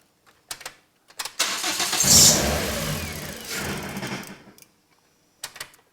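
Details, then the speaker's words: Toyota Yaris with a swapped Corolla 1.8L engine, first start after a cheap eBay turbo install and connecting the turbo oil feed: cranks, catches, revs about three seconds, then dies; fires but won't stay running, cause unconfirmed. "it wants to go he wants to go it just won't stay running will it no yeah okay cool the car won't run for long enough for us to see if the turbo charger is actually working"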